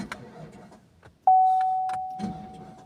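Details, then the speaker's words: Camaro SS with a V8, dashboard showing battery saver and low battery: turning the key gives only a couple of faint clicks and a dash chime with no cranking, battery too flat, before a jump starter is used. "I just want to show you guys the car is pretty much dead at the moment [Music] yeah as you can see it says it's in battery saver and that the battery is low if I try to start it up"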